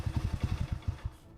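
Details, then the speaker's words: Alpha moped (childhood bike, under 8-month restoration), after a loose part was found untightened: a few uneven low putts that fade within about a second; engine doesn't respond to throttle, owner blames the carburetor, cause unconfirmed. "the gas? I actually give it gas, and it literally doesn't respond at all."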